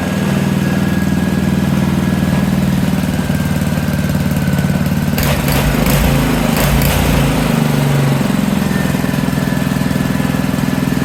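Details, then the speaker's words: Honda small single-cylinder engine from a junk pile, rebuilt sidewalk edger, doesn't smoke: runs steady and even with a brief rev, no misses or knocks; runs well after rebuild. "now she's complete. And she starts up, runs pretty good."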